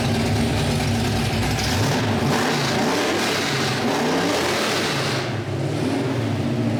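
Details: 1972 Hemi Cuda with dual four-barrel Sniper setup, with exhaust cutouts open: deep, loud V8 blipping up and down cleanly, no misses or knocks; healthy engine.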